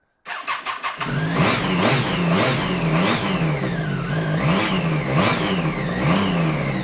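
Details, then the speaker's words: Triumph 675 Daytona sport bike back from storage with new Yuasa battery: catches after a few cranking bursts, then revs surge and sag unevenly about twice a second; runs rough, and charging system not charging, regulator rectifier to be checked. "That sounds more like it. Well, it runs. Not amazingly, but it runs."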